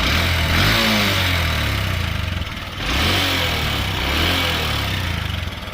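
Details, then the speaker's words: 2023 Honda CB125F single-cylinder idling and revving after a 128 km ride, following cylinder head repair with Threebond silicone: light quick ticking that keeps pace with revs; owner concerned, had smoke after earlier rides, plans to check valves; cause unconfirmed. "I've just come back from a 128 kilometre ride. There's definitely some noise coming from the engine."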